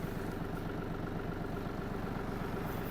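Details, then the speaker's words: Yanmar AF-250 Japanese 25 hp diesel mini tractor, started after glow plug preheat: steady diesel chug about four beats a second, even and regular, no knocks or misses; healthy idle. "запалення свічка нагрілась І заводимо завівся трактор добре"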